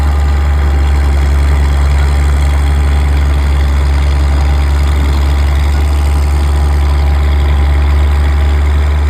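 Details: Old Caterpillar D6 diesel dozer warming up, with a heavy, steady, even idle rumble and no knocks or misses. It smokes a bit but sounds good; normal idle.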